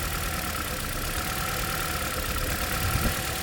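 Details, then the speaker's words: Toyota Corolla (ZRE152 or 182), check engine light on, 4-wire coils: idle stays unchanged when cylinder 2 coil is unplugged while other cylinders drop rpm, slightly lumpy; dead misfiring cylinder 2, coils to be swapped next. "So this is our culprit cylinder at the moment."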